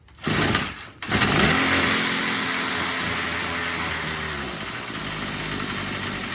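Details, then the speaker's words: Troy-Bilt TB22 EC two-stroke trimmer, warmed up, carburetor out of tune: rough, wavering idle that dies as soon as throttle is given, before the low-speed mixture screw is adjusted. "all right it is warmed up it does idle okay but as soon as you go to give it any throttle it just dies"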